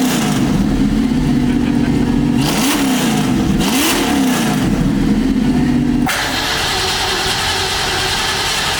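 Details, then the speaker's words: Freshly supercharged V8 in a '65 Mustang: engine catches and blips twice, pitch climbing and falling cleanly with the throttle, then settles to a steady idle; sounds healthy. "it sounds all right that sounds awesome"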